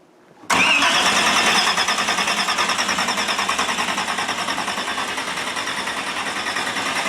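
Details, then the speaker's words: Larry Bullock's drag Camaro first started in 8 years after water pump and fuel pump fixes, checking oil pressure and leaks; cranks and catches at once, fast lumpy loud idle, no leaks. Normal engine start. "HEY! AFTER 8 YEARS, THE BEAST IS AWAKENED. RIGHT, LARRY? >> You got her going. >> Uh, it sounds good."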